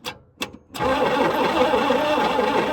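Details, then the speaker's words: 1960 Chrysler Saratoga, not run in about 39 years, starter solenoid being struck to engage: a couple of dead clicks, then the early starter catches and spins the engine steadily for about two seconds; sticking starter, engine has compression. "does not sound amazing that's early starters for you occasionally it'll work a second"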